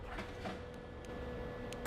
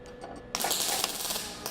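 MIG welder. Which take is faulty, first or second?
second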